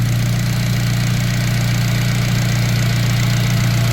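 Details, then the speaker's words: Turbo Honda making 300 lb-ft of torque yet factory-smooth, idling after an earlier smoking-and-dying episode blamed on a suspected piston or ring problem; steady, even low drone with no stumbles or dropouts, engine running smoothly and healthy. "This thing is so freaking smooth. I'm telling you, like, I say this all the time, but you wouldn't know unless you saw this car in person, guys. This thing is like factory, but it makes 300 foot-pounds of torque."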